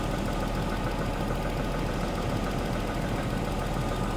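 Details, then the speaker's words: Daimler XJ40 that broke down on the highway: a steady, even idle with no stumble while engine-bay cables are wiggled. The engine stays smooth and healthy. "fire it straight up it's um yeah it's idling fine nothing really that weird"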